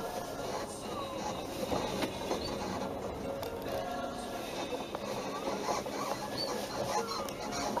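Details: Hyundai Sonata EF: faint, irregular creaky squeaks with each movement of the suspension, from the rear upper control arm bushings on the body side. Control arm bushing squeak.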